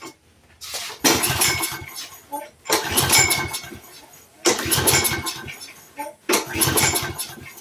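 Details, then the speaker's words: Roadside-found Troy-Bilt push mower with auto choke, after freeing a stuck part: repeated short bursts as engine catches, revs briefly and dies each time; fires but won't keep running. "Now she says no. All right. She wants to, guys."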